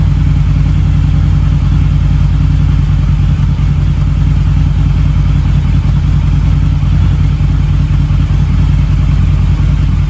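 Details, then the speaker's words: Harley V-Rod with about 16,000 miles, warmed up after its first start in at least 4 years. Smoke has nearly cleared. Deep, even V-twin rumble with a steady beat and no misses or knocks. Normal running. "It's getting better. It's not hardly smoking now at all. What a relief."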